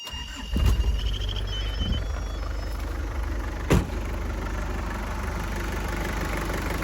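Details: 1992 Isuzu Rodeo 4x4, 5-speed, with a JDM 3.1 turbo diesel swapped in from a 92 Trooper; chassis 276k miles, engine about 100k. Quick crank, catches right away, then a steady, even diesel clatter at idle with no misses or knocks; normal start and idle.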